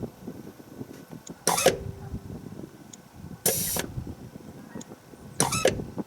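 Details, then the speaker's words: 2017 Ford F-150 with the 5.0L Coyote V8, ignition on, during diagnosis of an engine rattle: a sharp click with a brief hiss about every two seconds. This is the intake runner control solenoid and vacuum servo plunger cycling normally as vacuum runs out. "okay it's running out of vacuum now but we definitely hear the solenoid clicking that's good"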